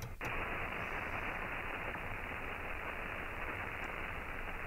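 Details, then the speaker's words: Ham radio shortwave receiver on an end-fed half-wave antenna: loud dense crackling hash after a brief switching click, picked up from a nearby inverter; the doublet antenna rejects this noise better. "can hear that crackling coming back from the inverter that it's picking up"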